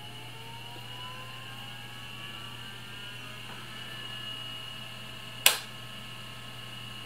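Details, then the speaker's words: SupraDrive SyQuest removable hard drive on a temporary ATX power supply after its own supply's capacitor failed: steady low hum with a smooth high whir rising to speed and one sharp click; normal draw, spins up healthy. "normal draw it sounds fine it's going to leave that to run for a little bit"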